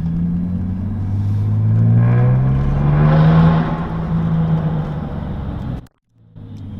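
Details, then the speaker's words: 2008 Saab 9-3 Turbo X with newly installed upgraded turbo, on a drive: revs climb, then fall away off throttle with a soft turbo whoosh as the engine comes down. Sounds better than the old turbo; normal spool-down. "yeah that was just like as you let off the gas and the engine starts to like come down you can just hear the turbo just oh it sound it sounds so much better than the old one"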